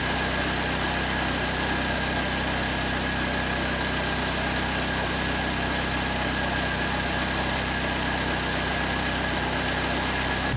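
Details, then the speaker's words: 1931 Ford Model A coupe hot rod with Ford 2.3L four, Holley 2300 350 CFM carb and T5: steady even idle, smooth low rumble, faint fan tone, warming up at about 160 on the gauge before the thermostat opens at 180; normal idle. "Temp's starting to come up now. It's up to about 160 on the gauge, so we'll just let it run here."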